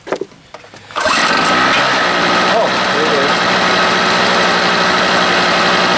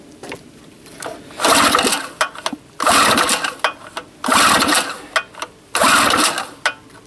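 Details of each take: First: Harbor Freight 800 W generator starting after a homemade head gasket was fitted (a loose head bolt had burnt through the old one); catches after a short pull into a high buzzy drone, slightly rough. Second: Harbor Freight 800 W generator, small two-stroke, after replacing a blown head gasket with a homemade one: surging in rhythmic bursts about every 1.5 seconds with a sharp puffing hiss; owner suspects an exhaust leak, unconfirmed.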